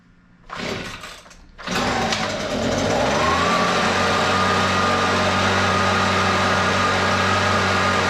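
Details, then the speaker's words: Husqvarna 125BV leaf blower two-stroke after carburetor replacement (previously wouldn't prime or start), started on full choke: catches after a couple of pulls, steady even high buzz, no stumbling; best it has run in a while, may need slight adjustment; normal running. "that's the best that blower has rain in um quite some time sounds like it could use a little bit of adjustment but I'm not too worried about it"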